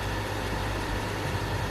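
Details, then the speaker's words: Brand-new PS5 disc edition console running: constant low buzzy hum from fan vibration with no rhythm; excessive humming and vibration before the fix. "the box a lot of people have been complaining about sounds noises excessive humming excessive vibrations and i think i may have solved this problem"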